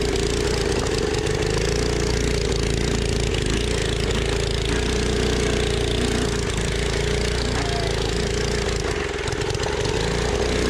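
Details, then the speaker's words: 1980s MTD mini bike with Tillotson 212cc engine on a high-altitude hill climb: after stalling it coughs and runs unevenly with a steady tone near 450 Hz, rough and labouring. Cause not stated. "oh he's having to run next to it already running next to it oh it sounds bad it did it did stall oh boy it died"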